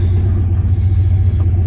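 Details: 1999 Dodge Ram 1500 5.2 L V8 after the stalling/dying-idle fix (suspected idle control valve replaced) holds a deep, steady, clean idle in gear with no stumble or dip.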